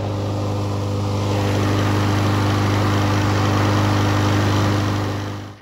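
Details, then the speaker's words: 2019 Troy-Bilt TB110 mower, 150cc Briggs & Stratton, previously hydrolocked from overfilled oil, run about 20 minutes to expel the leftover oil; steady, even governed drone, no misses or knocks; running smoothly, normal. "this one it was hydrolocked I had I just ran it for like 20 minutes and it kicked out all that oil that was left"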